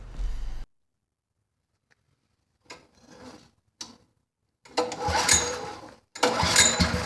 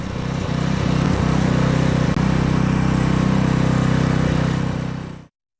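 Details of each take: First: Honda HS35 snowblower with spark, started with fuel poured into the cylinder: a couple of pulls, then it catches and roars a few seconds before dying; not drawing fuel, fuel starvation from a blocked carburetor jet. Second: Abandoned Honda HS35 snowblower after troubleshooting: steady even single-cylinder thrum about four beats a second holding constant until shutoff; engine running fine, though it threw snow poorly until auger paddles and scraper bar were replaced.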